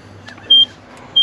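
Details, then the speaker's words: Classic Nissan 720 pickup sitting about 20 years, key on in cab: two short, high, even beeps about two-thirds of a second apart; suspected seatbelt warning chime, source unconfirmed. "Quit beeping. So maybe, is that the seatbelt?"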